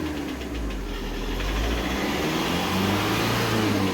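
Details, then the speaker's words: VW Vento diesel with injector knock, worse with the AC on: revs rising with light regular tick-tick knock during a roughly 15-minute relearn process, expected to fade once rpm settles. "ਤੇ ਟਿਕਟਕ ਦਾ ਸਾਂਡ ਤੁਸੀਂ ਸੁਣ ਸਕਦੇ ਹੋ ਆਹ ਜਿਹੜਾ ਟਿਕ ਟਿਕ ਦਾ sound ਹ injector ਵਾਲੀ ਨੋਕਿੰਗ ਆਇਹ ਤੇ ਖਤਮ ਹੋ ਜਾਊਗੀ"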